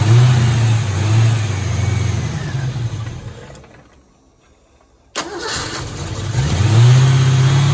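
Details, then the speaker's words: 1986 Ford Mustang GT, original-mile car that sat for a while, just under a quarter tank with pump heard priming: engine revs, dies away, then cranks, catches hard and idles rough and uneven; owner is fairly confident the fuel pump or its hanger hose is bad. "All right. So, I'm pretty confident we got a bad fuel pump here."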